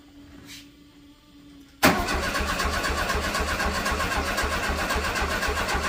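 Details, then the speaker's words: VW Super Beetle that sat 8 years, cranking while the fuel flow into a jug is checked and none comes out (the carb was later replaced). An even starter churn that never catches: crank, no start from no fuel delivery. ">> No, I don't think we got anything yet."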